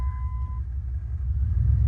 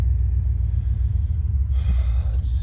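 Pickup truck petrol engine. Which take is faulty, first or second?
first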